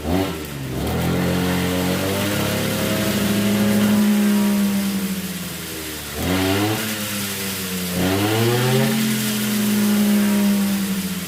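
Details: RBC411 two-stroke brush cutter that shook violently from a bent blade tip, after straightening the blade: high buzz revving up and settling back three times, pitch rising and falling cleanly with no rattle or shake; runs normally.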